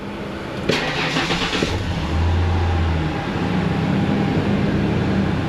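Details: Ford F150 with code P1537 starting after a tune-up, with intake manifold runner control voltages being watched; a small vacuum hose had caused the fault: starter whirs briefly, then a steady low idle hum with no stumble or hiss; starts and runs clean.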